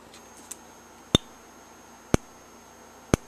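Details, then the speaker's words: EST Genesis G1R-HOV30 horn strobe fire alarm under test: only sharp dry ticks about once a second from the strobe, no horn tone; sounder dead, faint code 3 possibly audible, piezo drive component suspected bad. "the horn must be busted I don't know why I didn't do anything"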